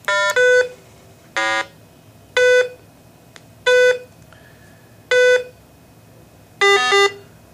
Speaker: in this demonstration we have not hooked up an led so you will hear a beep blat for the missing led and then beep beep beep whenever you hear a blat double check your connections